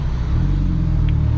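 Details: Mk6 GTI accelerating on a freeway pull after replacement of a seized exhaust-side balance shaft with new balance shafts, chain and tensioner: deep, even drone under load with no knocks, rattles or misses; runs smooth and healthy.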